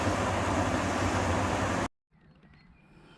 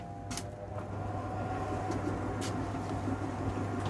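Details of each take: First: Beko heat pump tumble dryer after replacing the drum motor, whose old winding was open circuit: steady even rumble and low hum for about two seconds then quiet; drum running normally. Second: Beko heat pump tumble dryer: drum motor only hums and won't self-start, then spins slowly with faint rubbing after a manual shove; capacitor suggested by viewers but cause unconfirmed.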